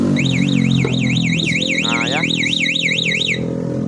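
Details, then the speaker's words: Motorcycle alarm installed without relay, siren test: a loud warbling siren sweeps up and down about three times a second, then cuts off cleanly; the alarm siren works. "Lampunya ya setelah itu ini untuk bunyi suara"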